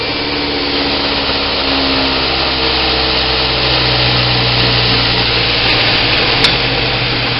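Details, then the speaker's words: Homemade 2x72 belt grinder built from 1/4 inch laser-cut plate, platen not yet fitted, turned down to speed setting 3 on a metal table; steady even motor hum with belt hiss, hardly any vibration, no knocking or wobble. "Not hardly any vibration at all. A little bit, but not much."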